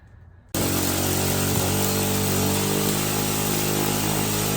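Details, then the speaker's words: 2007 Hawk 250 Chinese carbureted single-cylinder dirt bike, previously cranking without starting: catches abruptly into a steady, even fast idle with crisp firing; normal running. "There it is. Mechanical integrity, spark, and fuel. She runs."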